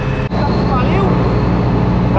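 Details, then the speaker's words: Belt squeals on a combine harvester's diesel engine, heard as short rising chirps over a loud diesel rumble; the belt slips because the pulley has light surface rust. "Nowin pasek pasek piszczy bo nie wyślij znany jest koło i jest po prostu nalot rdzy bo słychać jak Pasek tylko piszczy"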